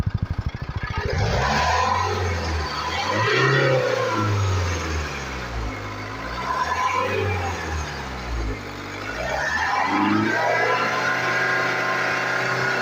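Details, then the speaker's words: Jaguar XF with loss of pickup and a changed engine sound, no warning lights: revved up and down in the bay, it gives an uneven, rough whooshing note, with something like air escaping near a pipe on acceleration. "और एक देखिए sound मतलब जो है ना sound मतलब एक अजीब टाइप ड़"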